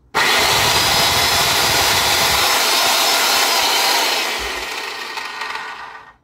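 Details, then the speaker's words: 2002 Craftsman circular saw after a destroyed bearing was replaced, previously loud: a smooth, even high-pitched whine holds steady, then spins down cleanly with no rumble or grind. Sounds better than before; normal running. "sounds better than before huh"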